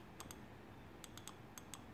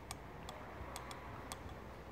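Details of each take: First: BMW E46 M3 S54 dual VANOS valve body solenoids after brake-cleaner cleaning; previously they made no clicks. Crisp light ticks in pairs and short runs, about seven in two seconds, in a quiet room: the solenoids now click normally. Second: BMW S54 VANOS valve body on the bench, bottom solenoid worked for five minutes soaked in brake cleaner: sharp, uneven clicks growing crisper and louder as gummed, sludged valve frees up; sticking VANOS solenoid valve.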